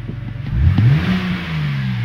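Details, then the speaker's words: BMW that used to start and then die, after the fix: a clean, quick rev rising smoothly and settling back without stumbling, no limp mode. Normal revving. "limp modes or anything god just runs fine now so comment below"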